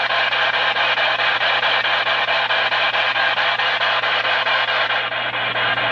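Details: Baofeng UV-5R+ radio that got wet, was disassembled and dried: loud hiss throbbing steadily about twice a second that never clears; resetting squelch doesn't help, though it still receives and transmits fine. Pulsing static.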